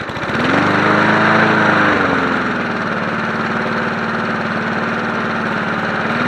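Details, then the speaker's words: Free 1980s John Deere NO20K push mower as acquired, first run before maintenance, filmed from tripod: pulls over, picks up briefly, settles into a steady, even single-cylinder putter, no misses or knocks; healthy, kill switch works. "Not bad. And then of course it shuts off by the kill switch up here. So all this works."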